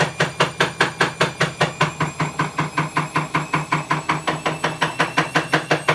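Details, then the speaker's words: Bosch WAE24366GB washing machine (also tripping circuit breaker, element suspected) starting a spin, well below full speed: loud heavy regular thumping/clicking about 2.5 hits per second from a broken drum spider. "but if you hear that clicking that's the broken spider it's pretty loud there's nowhere near full speed yet"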